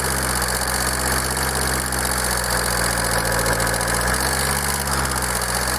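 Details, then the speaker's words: Kia 2.0 CRDi Bosch common-rail diesel, warm at idle: sharp rapid clatter over the drone, steady; stethoscope found knock spreading across the engine, unchanged at any injector; cause unconfirmed, though injectors suspected and reportedly not the culprit. "Niestety była niemożliwa to stukanie przenosi się tak jakby po całym kurczę silniku i nie ma na żadnym wtryskiwaczu zmiany"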